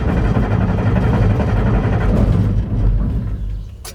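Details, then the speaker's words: Massey Ferguson 760 diesel tractor started on the engine's old lift pump without the electric pump: heavy, uneven cranking about three to four turns a second, dies without firing; lift pump loses prime, air enters via injection line leaks. "nope she doesn't want to run so we'll go and put you like the pump on it this is why we quit running it because of that"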